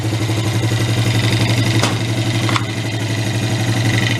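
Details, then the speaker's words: 1983 Suzuki 125 three-wheeler ATV, barn find revived after run issues: even, steady putter about four beats a second with a couple of brief clicks; settled, healthy idle that purrs, idle speed could come down a little. "this i think purrs huh okay like a kitten"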